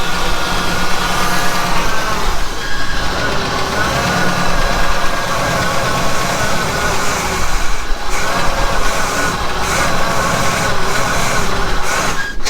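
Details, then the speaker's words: Pontiac Trans Am V8 fed by a makeshift gas sprayer: a low, lumpy idle that stumbles and wavers without settling; the injector can't deliver enough gas and the fuel feed isn't feeding well, so it is starving for fuel. "can't put enough gas in it. So my little sprayer just won't put enough, my injector won't put enough gas in it. And I believe this is feeding, but not feeding very well."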